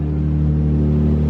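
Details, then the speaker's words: Subaru with coil-on-plug ignition after repair fixing oil leaks, firing order checked by ear: smooth steady low idle, even tone, no stumbles or misfires, much quieter than before; normal idle. "Every single time you start it, it's quieter. That's a lot quieter. It's like barely there."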